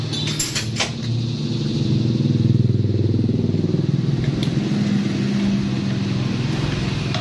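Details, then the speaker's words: Honda Revo Absolute with no spark at the plug lead, kick-started with ignition on: regular chuffing about four beats per second, never catches or fires; no start. "itu tidak ada pengapian ya tidak ada pengertian distribusi di kabel businya"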